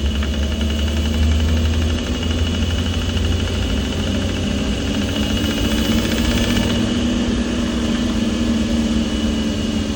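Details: Rebuilt NV4500 transmission behind a 6.0 LQ4 with an NP261HD transfer case in a 2004 Silverado 2500HD: steady engine drone with a fast, faint, regular knocking from the gearbox in third gear.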